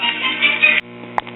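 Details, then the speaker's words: Early-1940s battery-operated Truetone radio with spring-driven 78 rpm wind-up phonograph after tone-arm repair: record plays thin and tinny with little bass over a hum; suspected cause is a resistor paralleled across the cartridge, originally a 3-volt crystal cartridge. "Well, as you can hear, it's playing, but it's a little bit tinny sounding,"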